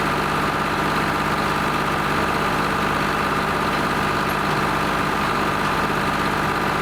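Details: Lima 34 shovel, first start-up after repairs, before greasing and digging: steady, even diesel chatter at a constant low idle with no misses or knocks; the old engine idles healthy.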